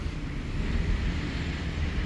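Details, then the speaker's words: 2013 Chevrolet Express van, V6, no-start case: steady low starter rumble churning without catching, a very extended crank with no RPM signal and no TCM communication; traced to incorrectly installed crankshaft position sensor. "The module could be bad, but I do know also that we don't have any RPM signal, and we also have a very extended crank."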